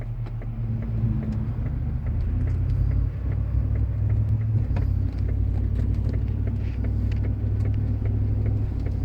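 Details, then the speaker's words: 2004 Chevrolet Tahoe, engine running while driving: faint, irregular light knocks, about four a second, over a low engine rumble, seemingly from the center console, gone in park; cause unknown. "Sounds like it's coming from down in here in the center console."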